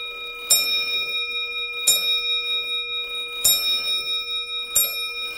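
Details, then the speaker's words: Early-1800s French lantern clock with Robert Dubois bell, before restoration (worn pivot holes, missing crutch); four clear bell strikes about 1.5 s apart, each ringing long; striking train working normally. "I just love to hear that bell. Not very many clocks nowadays have bells."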